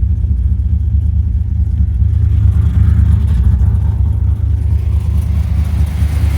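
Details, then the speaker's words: 2005 Chevrolet Silverado 6.0 LS V8 with Madd Maxx 110 LSA cam, long tubes and base tune, started at 55 psi fuel pressure: deep choppy idle with irregular stumble, misfiring cylinders one and eight. "We're running. I got a lot of misfires on one and eight."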